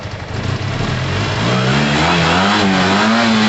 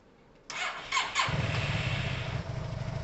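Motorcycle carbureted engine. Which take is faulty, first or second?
second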